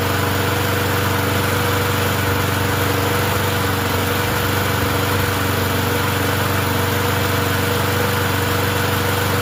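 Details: Murray 20" push mower with 4.5 hp Briggs & Stratton engine, finally running after a blade change, no air filter fitted, still burning oil off the muffler: loud steady buzz with slight uneven shake; bent shaft or blade possible.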